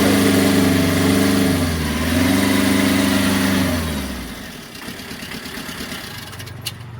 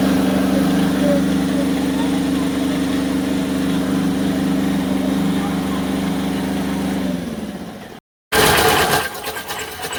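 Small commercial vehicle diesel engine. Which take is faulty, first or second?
second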